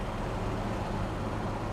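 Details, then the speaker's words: 1966 Chevrolet Chevelle SS with 396 V8 cruising at road speed: steady low rumble with an even engine note, no boom, drone, rattles or clunks; smooth transmission and quiet rear end, sounds healthy. "When you want to get on it, you can hear that 396, but if you're just cruising down the road, no drone in here, it sounds really, really nice. I love it."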